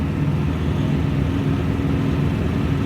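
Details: 1953 Ford Customline engine running after homemade exhaust crossover pipe repair: steady smooth low drone, no knocks or ticks, sounds okay; oil pressure low and falling at idle after running two minutes low on oil, owner suspects clogged filter.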